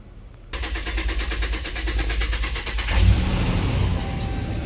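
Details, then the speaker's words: 2009 Dodge Ram 5.7 L Hemi with a failed cylinder 3 lifter and cylinder 3 misfire codes P0340/P0303: rapid steady starter churning for about two and a half seconds before it catches. Slow to start; good oil pressure. "takes a while to start. Good oil pressure."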